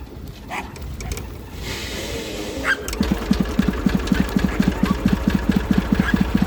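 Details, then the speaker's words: Massey Ferguson 35 three-cylinder diesel, stored 20+ years in the woods with a water-filled, seized engine, freed; starter failed, so it was tow-started in third gear high with a pressurized fuel tank. Rolling tow noise, then the diesel catches into uneven popping beats and runs on its own: first start after storage. "So 20 years in the woods, froze up. Had to get it unfroze, unstuck. Starter gave out on me."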